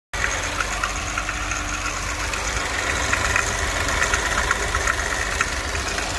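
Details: Audi RS5 2.9 engine, 2/19 build date, 78k miles, at idle: light, fast tick in the upper range over steady idle; owner suspects rocker arms, not confirmed. Engine ticking at idle.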